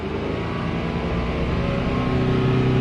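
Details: BMW 328i F30 N20 engine after oil filter housing gasket replacement and cooling system bleed, warmed up before the oil level measurement: even, steady warm idle with smooth low hum, no ticking or whine; normal warm idle.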